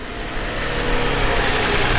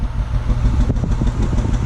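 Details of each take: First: Smooth, even V6 idle that builds slightly then holds steady with no stumbles or dropped beats after fixing a misfire causing flashing check engine light; runs clean on all cylinders, normal idle. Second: Six-cylinder car at idle with flashing check engine light: uneven, lumpy exhaust pulse with skipped beats, whole car and steering shake, low power, raw unburned-fuel smell; single-cylinder misfire.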